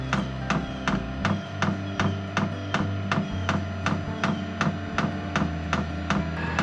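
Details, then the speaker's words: HCalory SS2 diesel heater in a garage at startup, drawing about 20 W: fuel pump priming with sharp even ticks about three a second over a low fan hum as the fan spins up; normal startup. "okay okay you hear the fuel pump priming right now it's uh doing a prime now the fan is slowly coming up to"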